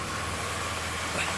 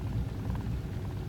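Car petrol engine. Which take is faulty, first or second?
second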